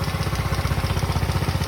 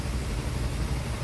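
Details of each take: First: Motorcycle brought in by a worried customer, engine idling very loudly with a rapid, even clatter on every beat, sounding like a major part needs replacing; source found through part-by-part checking, later diagnosed as a basic fault. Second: Motorcycle idle after diagnosis and repair, sound back to normal: even, steady, no knock, only extra mechanical clatter because the side cover, magneto and tensioner are still open with no rubber cap fitted.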